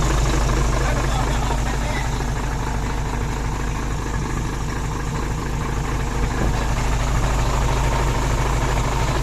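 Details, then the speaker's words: Hino Mega 500 (J08C) diesel idling after valve clearance adjustment, heard close up: even, steady, smooth low beat with no valve clatter, previously loose valves now silent; healthy. "ตอนนี้ครั้งก่อนก็วาล์วมันห่างไปนิดนึงฮะแต่ตัวนี้ไม่มีเสียงเลย"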